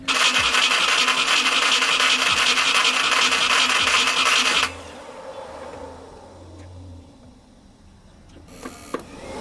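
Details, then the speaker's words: Nissan 240SX S13 after the distributor was pulled and its pin realigned, with plenty of fuel: starter spins steadily for about five seconds with no catch or firing, then stops; cranks but won't start. "all right still nothing all right there's more than enough gas in there to get it started now"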